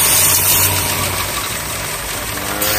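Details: Chevy Cruze at idle: loud airy hiss over steady engine, failed PCV valve in the valve cover; fix is replacing the whole valve cover.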